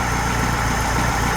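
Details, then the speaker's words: Freshly built high-performance air-cooled VW flat-four for a Baja Bug, first start at the engine builder's shop, still cold: smooth, even idle with steady beat, no misses or rattles; runs much better than the old engine, 50 lb oil pressure at idle. Normal idle. "boy what a difference you can you can hear how well it runs too as"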